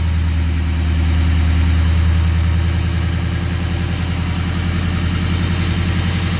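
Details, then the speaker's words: 2003 Ford 6.0 Powerstroke diesel in Drive, FICM about 48 V, ICP 0.23, with misfire and erratic VGT: deep drone under load, thin turbo whistle climbing slowly; engine weak and super slow to build boost, FICM suspected weak. "put it in Drive [Music] and it's super weak got no boost"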